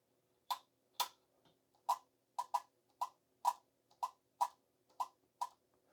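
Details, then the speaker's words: Kenwood TS-430S transceiver after spraying electronic cleaner into the band switch wafers: eleven crisp separate relay clicks, one per band step, with no rapid-fire chatter as before the cleaning. "I would expect to hear that relay clicking noise when you click in, but before, it was just rapid fire."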